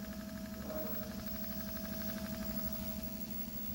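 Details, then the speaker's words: Electric truck being tested for an intermittent motor short (code 13) after the contactor kicks in: a steady drive motor whine with a low hum and faint pulsing about three times a second while driving; the cause is not confirmed. "i'm driving that's the noise can hear it it's running"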